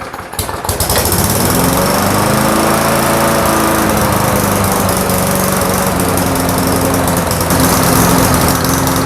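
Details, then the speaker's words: Briggs & Stratton Classic push mower engine with carburetor mounted on the tank, fitted with a new gasket, diaphragm and governor springs: speed hunts erratically up and down instead of holding steady; unmetered air leaking past the warped carburetor base. "your engine's going to surge erratically because it can't stabilize itself. All right, and here's just a test run to show you what I mean."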